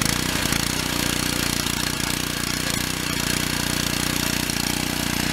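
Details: Pressure washer with small petrol engine after pump replacement: chugs along at steady even beat, about two and a half pulses a second, no misses or knocks; running fine.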